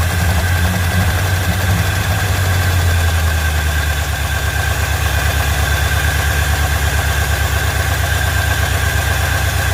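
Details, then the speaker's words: Ford Fairlane V8 after engine reinstall, idling healthy with a loud open-exhaust rumble, slightly fast, no knock or tick. The earlier noise is gone; a worn gear on a different distributor hadn't meshed with this engine's gear. Engine tends to overheat. "got it all buttoned back up started it up guess what no noise noise is gone"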